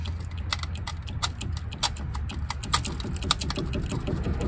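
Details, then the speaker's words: Dodge Caravan front suspension pried by hand: sharp, irregular metallic clicks and pops over a low hum from a worn, loose lower ball joint (upper ball joint shows no play); tie rod end also bad, idler arm loosening. "But that bottom one's about to go. That's where all my popping noises are coming from."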